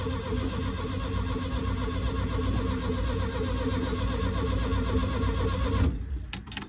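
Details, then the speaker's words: Air-cooled VW, no fuel in the tank or down the carb, battery okay, clutch possibly stuck: starter cranks about two beats a second for six seconds with no firing, then stops; crank no-start, out of fuel. "I ain't put no fuel in the top, I've not got fuel in the tank, so it may take a while, if it turns over."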